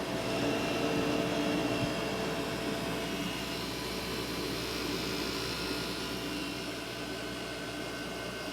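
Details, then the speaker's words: Asus Essentio CM6850 desktop, Core i7, 8 GB RAM, older ATI Radeon card fitted, case open: at power-on steady loud fan rush faster than usual, faint whistles, no display; motherboard suspected. "and see nothing appears and the fans are going a little faster than [Music]"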